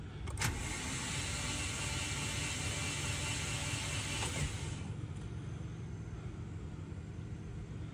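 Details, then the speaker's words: $300 Subaru XT: starter spins engine fast and evenly several seconds, no firing; crank no start; owner thinks it sounds low on compression, though a later test showed compression, just a little tired. "doesn't sound like there's compression to me"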